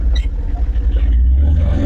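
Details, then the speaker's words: Tata Ace diesel on test drive in first gear: engine revs rise with an uneven rumble but the truck won't pull, only moves with the clutch pedal fully released; slipping clutch, clutch later replaced. "അപ്പോൾ വണ്ടി rice ആയിക്കൊണ്ടിരിക്കുന്നു, വണ്ടി വലിക്കുന്നില്ല"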